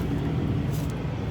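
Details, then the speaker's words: Truck idling after replacing the leaking trailer lift-axle air line; steady engine rumble with no hissing from the new line, which now holds pressure with no air leak. "now we don't hit it's all good and new um everything is connected good the air pressure is inside the line and we're good to go on it"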